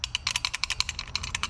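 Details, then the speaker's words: Worn clutch part from a 2001 Yamaha YZ426F shaken by hand gives a loose, bright metallic rattle at about nine clicks a second; the clutch discs and plates are burnt. "you can hear it rattling that's all worn out"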